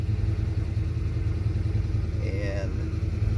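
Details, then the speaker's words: 1991 Ford Fox Body 5.0 V8 with Holley Terminator X and stock Ford IAC: steady, even warm-up fast idle at 1200 rpm target, IAC position wide open, no misses, hunting or dips. "we're at 1200 right now so it's exactly where it needs to be and the eye position is way open"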